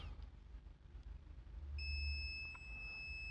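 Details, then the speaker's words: Acer Aspire 3 315-32 laptop motherboard, charger unplugged, meter in diode mode on some capacitors: 19 V present at the charging port but not on the board; a steady high continuity tone holds, reading 0. The input rail is shorted to ground. "we have some other capacitors here ceramic capacitors you know those ceramic capacitor on the input of every Power Supply let's check here Zer zero so we have a problem we have a problem"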